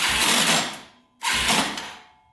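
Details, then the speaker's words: Yamaha TTR230 dirt bike, non-running, battery drained and on a charger: two short cranking bursts with harsh metallic grinding and clatter and no firing. "Doesn't sound very good. Sounds really clanky, doesn't it?"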